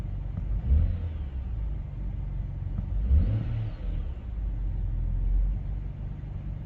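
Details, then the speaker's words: BMW X5 E70 after replacing both VANOS solenoids to cure a rough idle and drivetrain malfunction warning: even low engine rumble with two smooth throttle blips; idle now steady and healthy. "oh yeah it's running smooth guys"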